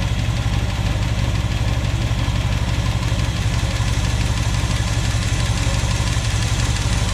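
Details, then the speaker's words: 1976 Dodge Power Wagon W100 V8 at idle, valves suspected not closing fully; faint light tapping from one bank, nothing on the other; top-end knock, cause unknown. "you can hear a little plank on that side but nothing on this side"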